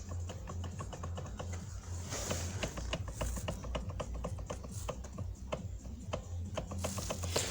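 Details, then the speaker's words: Toyota Prado 120 steering column knock heard clearly at the column while turning the wheel at idle: irregular sharp clicks about two a second over low idle hum; worn joint plates and bearing play. "проблема у нас такая у нас ступать это идет во время руля чем прям сразу вместе в рулевой колонке он прям вот здесь слышны очень отчётливо"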